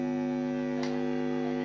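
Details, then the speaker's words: 1990 Fender Frontman Reverb PR 241 solid-state amp, volume turned up, with a cable plugged in but connected to nothing. Only a steady, even low buzz; the normal idle hum. "this is the sound or the the harm that it produces when it is not connected to anything so when it only you connected the cable without connecting anywhere you get this sound"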